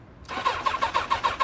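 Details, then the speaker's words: Sport motorcycle with bent forks at a Copart lot; quick, even starter chugs of about six per second and it nearly fires but never catches; cranks but won't start. "you're right there she's right there you hear it she wanted to fire up she wanted to fire up"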